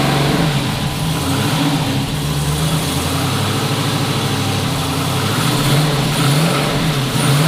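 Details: Twin-turbo 5.3 L33 LS-swapped 1974 Chevrolet Nova after cleaning the fuel system and adding fresh gas for bogging: strong, even rumble, no misfire, but idle sits fast and hunts slightly; tune and throttle position sensor were changed, so the TPS is a possible cause.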